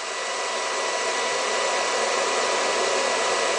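Steady, even whir with a faint fixed tone and no knocks or surging; the motor is running smoothly at its set speed.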